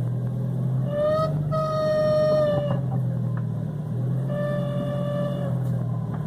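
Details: 2006 VW Gol G4: a clear high whine comes and goes in one-to-two-second bursts over a steady idle; it happens both parked and driving, belts already replaced, cause not yet found.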